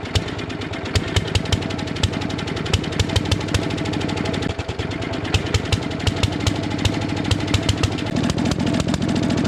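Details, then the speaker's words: 1957 Gard'n Mast'r tractor, Briggs & Stratton series 23 9 hp single, parked for decades: a lumpy, sputtering idle that runs way too rich because fuel is leaking from the brand-new carburetor, whose float does not shut off. "not running right but it is running sounds like it's way too rich that is a brand new carburetor"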